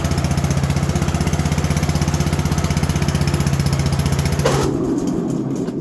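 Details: Engine in a 3416 mower after repairs, tuning and adjustment, started cold: even, steady single-cylinder thumping with no misses or knocks, then the sound drops away; running cleanly.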